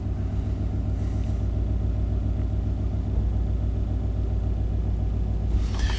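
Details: 1991 Chevy K1500 with throttle body injection that surges and stalls: deep low rumble rising and falling about three pulses a second as data swings lean; idle surge, oversized injectors suspected, not confirmed.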